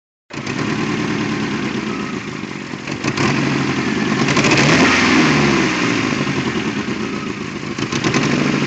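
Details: Toyota AE86 petrol engine idles and revs unevenly with an irregular stumbling, misfire-like beat; the cause turned out to be a bad throttle position sensor (TPS).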